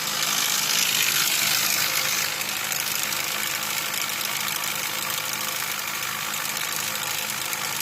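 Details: Nissan Altima 2.4 petrol idling with a fast, hissy ticking rattle, about four clicks a second, over a steady hum; timing chain or cam timing suspected, engine also consumes coolant and spark plugs were wet; cause unconfirmed.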